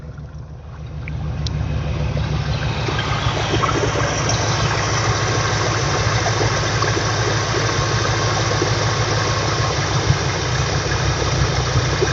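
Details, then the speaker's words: 1979 GMC Sierra Grande C35 carbureted V8 with run-on (dieseling): after backing off the idle speed screw, idle settles from aggressive to a steady, relaxed low rumble with no stumbling; normal idle. "And you can hear a lot more relaxed."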